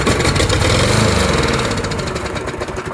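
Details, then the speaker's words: Poulan push mower with a Briggs & Stratton Quattro 4 hp engine and plastic carburetor, carb removed, run on sprayed carb cleaner: it fires, revs briefly, then dies with no fuel supply. Old stale fuel had been diluting it; spark and compression are fine. "so that says that what was happening was the old fuel was diluting that carb clea"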